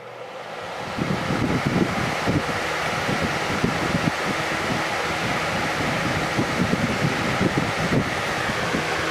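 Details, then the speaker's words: 1994 Lakewood HV18 fan, on high speed: steady even whoosh of air with a low motor hum and no knocks or rattles; runs smooth, healthy. "this one has a nice quiet low speed to it which I like"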